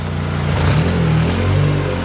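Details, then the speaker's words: Car that had been dying out in forward, in reverse and with the AC on, now after a new coil pack. Steady, low, even idle in gear with no stumble or dip toward stalling. The problem is fixed. "Asia's alright now we went forward and backwards so I mean that might've this fix are good so may it fix our problem going back smooth go forward again"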